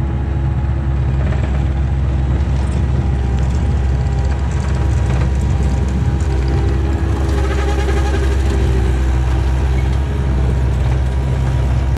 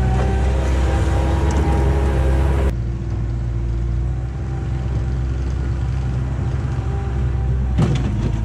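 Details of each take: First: 1999 Bobcat 864 tracked skid steer, climbing a hill: loud diesel drone with faint wavering whine, right-side hydraulic drive motor weakening over ten hours, barely moves; hydraulic light and beeping when hot; weak drive motor, later replaced with rebuilt unit. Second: 1999 Bobcat 864 tracked skid steer after replacing right-side drive motor with rebuilt unit and refilling fluid, digging test: deep steady drone, even track drive, no knocking or grinding; normal drive operation.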